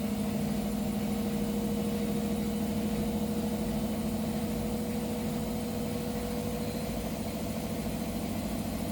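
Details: Hotpoint WMA0863 front-load washer: a steady thin squeak over the motor hum, present ever since a memory foam pillow was washed on the wool cycle; cause suspected, not confirmed.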